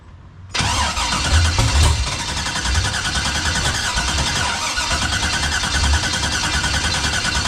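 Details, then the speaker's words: 1989 Box Chevy after the coil harness and cam-sensor wire swaps: starter churns steadily with the odd cough, never catches; crank no start despite confirmed spark, fuel and good grounds. "Switch that wire on the back of the cam sensor, sound the same. Couple times it act like it want to fire up, though."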